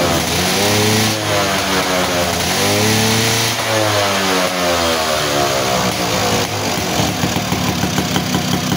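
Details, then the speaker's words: Two-stroke motorcycle that kept fouling and wetting its plugs and wouldn't rev, after the reed valve membrane was bent to seal and glued: it revs up and drops back cleanly several times without bogging. Now running properly. "oke ya teman-teman eh motor udah enak kembali ya jadi tenaganya juga enak nih jadi di Udah Ee udah kedengaran ya jadi dari suaranya juga enak ya lepas gitu kan pas dia enak"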